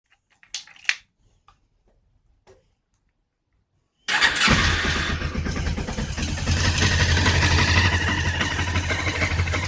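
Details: Honda CB500 engine started cold: after quiet lead-in it catches and settles into fast uneven patter about three beats a second; abnormal cold engine noise, cause unclear.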